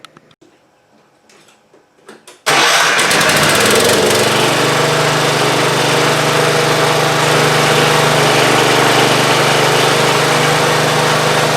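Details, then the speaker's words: Ariens GT14 garden tractor after fitting belts and hydraulic hose and topping off the fluid; cranks about two seconds, catches, then settles into a steady, even run with no knocks or misses: normal running. "let's go ahead and button this thing up, fire it up, and see if the deck works, see if the hydraulics work. Yeah, and we should be good."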